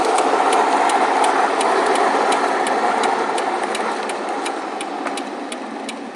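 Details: Car driving with sharp even ticking knock three to four per second over engine note, fading slightly; rod knock that developed over the weekend, replacement drivetrain already ordered.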